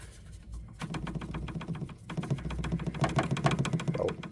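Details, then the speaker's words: 2011 Dodge Journey SXT with natural-gas conversion, idling: irregular light clattering, three to four knocks a second, as hoses rattle against each other near the pressure regulator behind the dashboard firewall, heard as a dash rattle. "actually this is the sound I was hearing so as the sound comes from here and the Dust board is right behind this wall"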